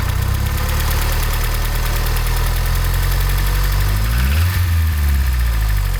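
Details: Knock present at idle on a Mazda 626 GD: a fast, regular light tapping rides over a steady idle; source not yet identified, owner seeking the cause.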